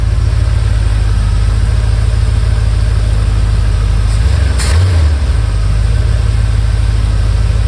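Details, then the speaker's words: 1978 Ford Bronco V8 with new Summit 600 four-barrel carb and Edelbrock Performer intake, being tuned: steady, smooth idle with deep rumble, air-fuel about 13, no misses. "I'd like to see 13s but uh maybe I'll do a quarter turn here bump the idle up a little bit we're sitting comfortable at 13 there"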